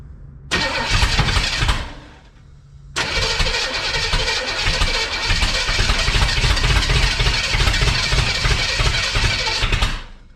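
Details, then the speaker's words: 1962 Chevrolet Impala 350 V8 being cranked on a first start attempt, distributor just installed; long cranking bursts that catch and stumble, uneven firing that never settles to idle: hard starting from over-advanced ignition timing. "That's way too much. A little too much timing. Sounds like we've got something going on."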